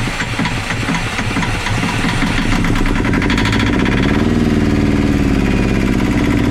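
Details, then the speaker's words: Yanmar 2GM20 marine diesel, battery at 12.9 V, after the starter motor was removed, cleaned and refitted: steady, even cranking chug at about four beats a second that sounds healthy, starter engaging cleanly, but the engine never catches; cranks but will not start. "filter on I mean that feels like how it should do but it's just not starting it's just not turning over but sounds healthy"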